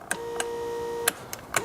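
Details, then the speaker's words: VW/Audi power seat: fore-aft and recline work but height adjustment fails. Relay click, then a steady mid-pitched motor hum with no strain while the seat does not lift. A stripped plastic gear in the motor mechanism is the stated usual cause. "the problem now is, guys, okay, we cannot lift the seat up and down. When we do that, see what happens. You hear the motor going, but it doesn't work."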